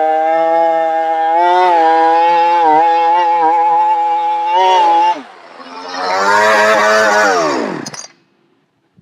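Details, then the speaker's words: Chainsaw before switching to Cerma products; revs hold high about five seconds, then sag, climb briefly and drop away, bogging down quite a bit. Saw then cleaned and changed to Cerma oil. "as you can hear it didn't do real good bogged down quite a bit actually"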